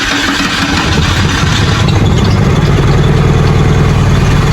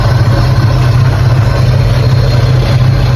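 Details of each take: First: 1984 Holden VK Commodore after coil was unbolted and unplugged then refitted: loud, lumpy uneven running that never settles, blowing heavy smoke; rough running, owner thinks it sounds like it's running backwards. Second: 1984 Holden VK Commodore while checking ignition timing before paint: steady, even low rumble at idle with no misses, knocks or ticks; normal idle, timing judged about right.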